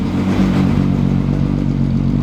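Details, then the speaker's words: Restored car "Miley", battery reconnected after electrical issues: engine catches and settles into a smooth, deep, even run with clean revs and no knocks or misses; normal start and rev. "Oh, she's just a happy car. Whoa. I don't think I will ever get tired of that sound."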